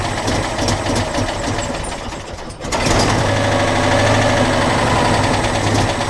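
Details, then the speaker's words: Citroën Dyane 6 at start-up, no longer holds idle, backfiring, dirt passing the fuel filter; idle hunts unevenly, dips near stalling, recovers with pops: rough idle and backfiring from dirty carburettor. "par contre maintenant un problème elle ne tient plus du tout le ralenti à pétarade un peu un pétard et non un pétard a beau mais c'est pas le top on va dire"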